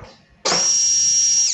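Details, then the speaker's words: Injection motorcycle fuel pump tested on the bench: a steady, clean high-pitched electric whir for about a second before spinning down. The small pump motor runs normally. "Jadi ini macam dinamo Tamiya begitu di dalam ada baling-baling dia berputar kalau kita on makanya bensin Bisa muncrat"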